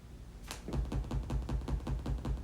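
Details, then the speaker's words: Mixer making a weird clicking sound at power-on after working fine: regular soft clicks, about eight a second, thump through the speakers after an initial snap. Everything else unplugged and no USB connected; it seems tied to the effects section trying to boot. Cause unknown. "today I woke up and turned it on and it was making this weird clicking sound"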